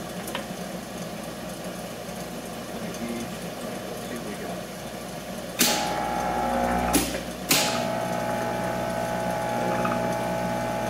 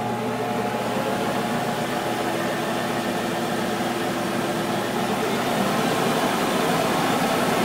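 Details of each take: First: Monarch 10EE lathe after gear train work to reduce noise, running about 1000 rpm in feed setting: steady gear whir with regular tick about four per second and some loud knocks; substantially less noisy but problem not solved. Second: Monarch 10EE lathe on 240 V line (set up for 208 V) during refurb, spindle drive running up to 3000 rpm forward and reverse: steady even hum with faint motor whine, no knocks, pretty quiet; normal spindle drive.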